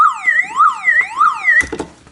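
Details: Old car alarm siren on its small internal 6 V backup battery wails loudly, sweeping up and down about three times a second, then cuts out abruptly as owner works to eliminate the faulty alarm.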